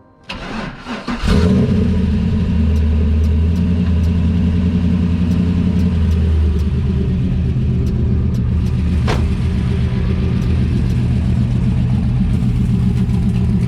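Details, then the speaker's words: LS-swapped IROC-Z Camaro, tuned, with 3-inch Speed Engineering headers into a 4-inch Mufflex exhaust: starter cranks briefly, engine catches at once and settles into a steady, even, deep idle with no knocks or misses. Normal start and idle. "So that's basically it. Car runs mint. Start it up for you now."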